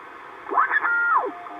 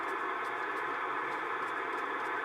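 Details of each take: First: Icom 720A HF transceiver from an estate sale, powered on for the first time: whistling tones sweep down and up as the dial tunes across WWV over faint steady hiss; the receiver works normally. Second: Estate-sale Icom IC-720A HF transceiver on 40 meters: only flat, even receiver hiss with faint occasional ticks, no signals; could be the band dead on an aurora day rather than the radio, later receiving on 17 meters.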